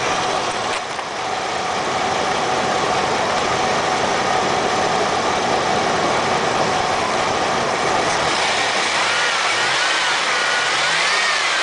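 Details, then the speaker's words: 1993 GMC Safari minivan V6 at 221,000 miles: steady, even idle, then pulls up cleanly through a few revs with no knocks or misses; runs great, healthy. "Yep, runs great."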